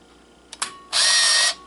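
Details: Kodak KC30 35mm camera: two sharp shutter clicks then a half-second high motor whir as film winds; normal operation.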